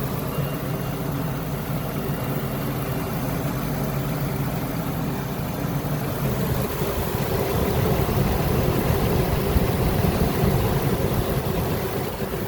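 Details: Workhorse 8.1 Vortec V8 RV chassis after AC compressor bypass with shorter belt and new idler pulley: deep, steady rumble at even idle with no squeal, chirp or bearing growl from the belt drive; runs smoothly.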